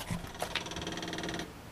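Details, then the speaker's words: After alternator upgrade, key off: a few light relay clicks, then a thin steady whir about 1.5 s that stops; normal electric fuel pump run-on, its relay under the hood clicking off. "Hear that fuel pump? There's a relay under the hood that clicks. When it turns off, you hear it click."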